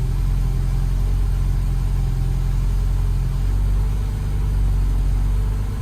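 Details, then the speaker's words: Car with a rewired aftermarket EFI, first start in months, tune not yet dialed in, new tune sent but failed CRC check and caused a stutter: low, slightly uneven idle wandering in pitch; rough idle. "I just sent the tune to the controller, caused it to stutter a bit, except it failed CRC check."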